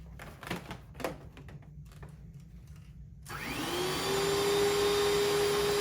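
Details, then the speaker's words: Vintage Panasonic Jet Flo vacuum cleaner after a belt change. A few handling clicks, then the motor spins up to a steady, even whine with a smooth hum. Running normally. "Not bad for an old machine. I'll take that."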